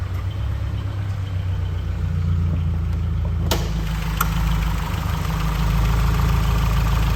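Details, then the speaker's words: 2013 Scion FR-S freshly serviced engine at idle: steady deep idle with faint light ticking, the chirping chatter of the high-pressure fuel pump (dual low- and high-side injectors); noisy by nature but healthy, normal idle. "they are kind of noisy engines so if you ever hear like almost a chirping noise it's actually a high pressure fuel pump producing lots of fuel pressure"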